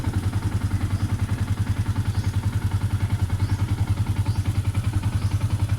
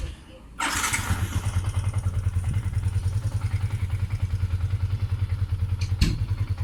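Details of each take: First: Yamaha Sniper 150 at idle, before replacing the rubber clutch damper with a Honda TMX 155 part: steady idle with an even rattling clatter three or four times a second; clutch rattle from the worn clutch damper. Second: Yamaha Sniper 150 after fitting a Honda TMX 155 rubber clutch damper and 1 L of fresh Shell AX7 oil: starts promptly and settles into an even, steady single-cylinder beat with no clutch rattle; normal idle.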